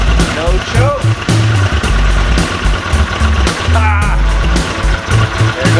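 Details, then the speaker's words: 1981 Honda CX500 Deluxe barn find, after carb work, hot-wired, kill switch removed, on choke with a few ounces of gas: low, lumpy burble surging unevenly but it keeps firing; the engine now runs. "whoo we did it so will it run heck yeah it'll run"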